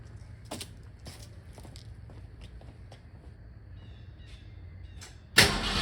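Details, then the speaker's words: 1971 Mercury Comet GT with fresh 347 stroker V8, warm, with roller rockers, just after first start, heard from behind the car: low rumble with sharp uneven clacks about twice a second; ticking, owner unsure if rockers or header. "I heard something clacking. I just don't know if it's rockers or something else."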